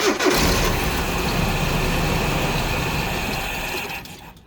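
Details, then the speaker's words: 1986 Nissan pickup farm truck fires and revs briefly on sprayed fuel, then fades out within seconds as the spray is used up; fuel starvation from a fuel pump that isn't working. "Okay, this is exactly what he said it was. It's a fuel problem."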